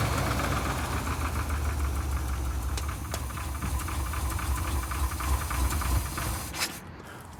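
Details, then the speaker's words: 1980 GMC Sierra/Chevy C20 crew cab, 454 big block, run on fuel poured in by bottle: catches, runs rough and low about six seconds, then dies abruptly; first time heard running, promising. "it to run for a little bit that's promising it's first time I heard this thing run actually definitely sounding good"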